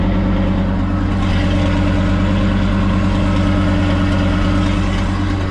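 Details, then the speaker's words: Ford Super Duty dump truck after exhaust repair with new muffler, heard from underneath; even idle with a light, quick ticking keeping pace with the engine, from an exhaust manifold leak at the heads, suspected on both sides. "There's no doubt. Hopefully you guys can hear that. There's definitely a tick there."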